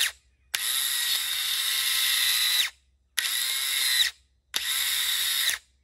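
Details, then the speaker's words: Yamaha Grizzly 550 ATV starter, jammed inside (it had to be hit to free it), tested with booster cables: three bursts of harsh, gritty electric whine as it drags and binds. The starter is bad and was replaced with a new one. "ith starters, you can tell if they in a bind in there, what it is, they get rusted in there and stuff. And I can tell with that racket it's making."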